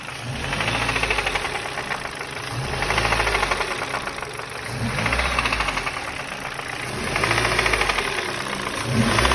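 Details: 2005 Ford Focus 2 pre-facelift, 1.6 Duratec HXDA, about 130,000 km, hot engine: revs rise and fall, light irregular knock as revs drop on throttle lift-off; unknown knock, cause not pinned down.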